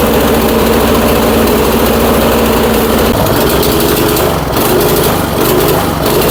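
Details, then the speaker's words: Troy-Bilt Storm 2410 snowblower, electric start, rings likely washed out by fuel, smoking: small single-cylinder runs unevenly with lumpy stumbling beat, getting worse as it warms; borescope shows cylinder scratches; cause suspected, not confirmed. "Well, the warmer this engine gets right now, it's definitely running worse than what it was."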